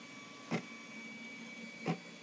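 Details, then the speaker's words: Bernina artista 730 embroidery module in the service-program test, large hoop detected, needle and presser foot up, feed dogs dropped: a quiet hum with two brief whirring moves as the carriage travels cleanly along X and passes, though electronic faults are suspected. "next test here we can go to the movements individually we can go to the X movement"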